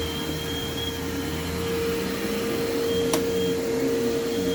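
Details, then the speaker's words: Vintage upright vacuum cleaner running on carpet: a constant high-pitched squeal rides over the motor's steady roar. The drive belt is slipping and squealing, though the machine is quiet overall and the motor sounds fine. It won't lock and needs parts. "And you can hear the belt squealing. It is very quiet though, which I do like."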